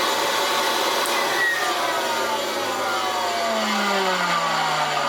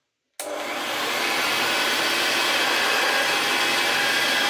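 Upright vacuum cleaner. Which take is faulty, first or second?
first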